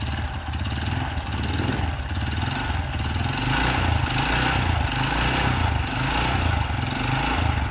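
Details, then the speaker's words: Honda Supra Fit motorcycle engine, running and revved: rough, uneven knocking that gets harsher on throttle; mechanic judges it a badly worn connecting rod, severe, needing rod replacement. "Coba kita gas. Nah ini udah parah ini. Kalau nggak parah, bunyinya agak ngerik-ngerik dikit waktu digas saja."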